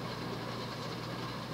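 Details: 1988 Hunter Embassy 42-inch ceiling fan, model 25644 with a 172x12 mm motor, at an estimated 240-250 rpm; constant rough, loud rushing grind with no hiss: worn motor bearings needing replacement.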